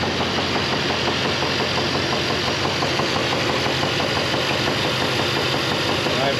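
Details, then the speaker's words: GMC K1500 Jimmy V8 ('Black Betty') at idle: an uneven deep bottom-end knock about three per second, grown more pronounced after weeks of driving. The cause is suspected but unproven until the oil pan is dropped. "so with that in mind here is a clip of the knock that we're looking at i'm gonna let that play right now"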